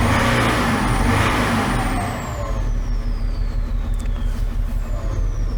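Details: 2011 BMW X5 M57 diesel, over 450,000 km, running on five cylinders: free revs smooth out briefly then turn lumpy again as revs settle; ISTA smoothness test puts cylinder 6 at critical 5.3; faulty injector.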